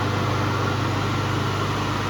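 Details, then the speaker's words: Three-phase electric motor run from single-phase 220 V on a start capacitor switched off after starting, used as a converter to power the MRSh-3 rail grinder; smooth constant hum and even whir, running freely and normally. "Выключаем. Все, двигатель немножко поработает."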